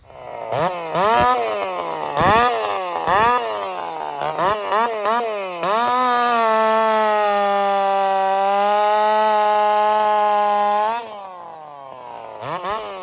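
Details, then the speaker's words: Race chainsaw on its final test cut before the races, with a sharpened steel 23 RS chain: sharp rev blips, then a strong steady howl through the cut that never bogs; it pulls healthy under load. "Yeah, I'm happy with that. It's a steel 23 RS chain, but I sharpened it. That's what I'm going to run at the races."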